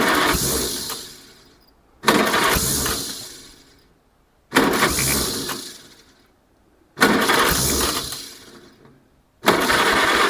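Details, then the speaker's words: 1947 Farmall Cub after swapping to the old red-painted distributor cap: engine catches and chugs in bursts about 2.5 s apart, a better result, but still misfiring; faulty distributor cap. "Well, it's chugging. It's a It's a better result."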